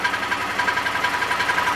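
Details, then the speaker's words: Chevy pickup truck: the petrol engine runs rough with a fast, uneven pulsing beat and rattle, still shaking and smelling of gas after three sensors were replaced. A coolant sensor is suspected from the codes; not confirmed. "Still shaking."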